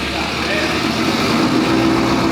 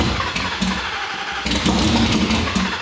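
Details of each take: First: 2019 Roush Stage 3 Mustang, first start after blown engine rebuild, with aggressive cams: loud, slightly choppy idle holding steady by itself without throttle; normal idle. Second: 2019 Roush Stage 3 Mustang V8, first start after blowing the engine: rough uneven running that stumbles and surges, won't idle without throttle; camshaft position sensor circuit codes, possible harness fault suspected.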